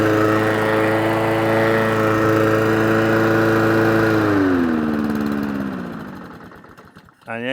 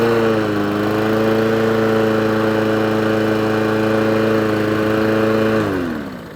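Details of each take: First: Old Mountfield mower, on choke after carb cleaner was sprayed into the head: it runs steadily at about three and a half beats a second, then sags and dies within two seconds and won't restart on choke. Carburetor fault causing stalling. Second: Old Mountfield mower with a Honda engine, after a full service, running off choke: steady, even hum at constant speed with no surging, then a clean wind-down. Runs healthy, though the carburettor idle needs adjusting.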